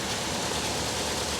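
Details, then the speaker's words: Hyundai with 150,000 miles, no timing belt sticker, possibly no coolant: uneven, lumpy idle with a missing beat. A dead-cylinder miss; a suspected bad plug, plug wire, injector, bent valve from a slipped timing belt, or head gasket. "yeah she's got a dead Miss I wonder what that could be could be a bad plug bad plug wire be a bad fuel injector"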